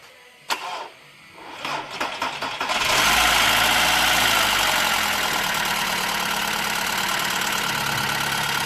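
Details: VW Jetta startup just after a new Gates timing belt, water pump, oil change and thermostat. The starter cranks, the engine fires and holds a fast, even metallic rattle about four times a second. Cause unconfirmed; the intake manifold and valve cover are being removed to inspect.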